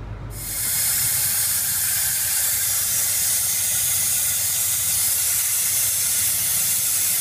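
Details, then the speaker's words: Ford 6.0 diesel, no-start when hot, engine hot (160–170 degrees) with valve cover off, shop-air leak test: loud steady hiss, engine off, from high-pressure oil rail; number 7 injector seals damaged, retaining ring missing. "What I end up finding on the injector back here on number 7, once I pulled it out, you can see the seals damaged and no more retaining ring."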